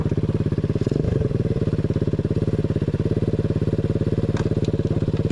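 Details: Small 125cc 4-speed single in a chopper build, kick-started, revving then settling into a steady, crisp, even exhaust beat with no knocks or rattles after the exhaust was rerouted; running normally, sounds much better.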